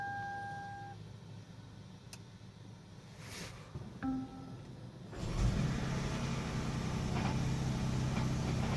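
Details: 2012 Lexus 450h hybrid cold start: dash chimes, engine fires and a coarse fast rattle rides over idle; cold start rattle, cause unknown.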